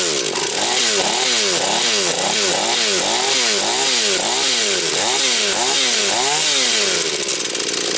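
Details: Husqvarna 240 chainsaw, reassembled, first start of rebuild, still tight: quick regular rev blips, picks up cleanly each time and holds steady; owner plans further carb adjustment. Normal running.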